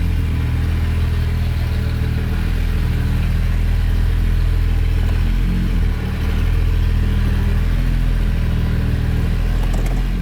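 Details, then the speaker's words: First-generation Honda Pilot after rear suspension rebuild, driven forward and back with no exhaust fitted: deep, loud, booming unmuffled drone with a rough edge at low speed. "no i think someone stole my catalytic converter that's exactly what you'll hear"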